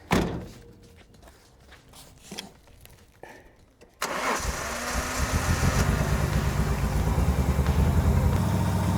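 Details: Nissan Skyline R31, sat for years, revived after fuel pump cleaning, new filters and jerry-rigged alternator exciter relay wiring: quiet cranking and clicks, catches at about four seconds, settles into steady, slightly lumpy idle, possibly tune or cam.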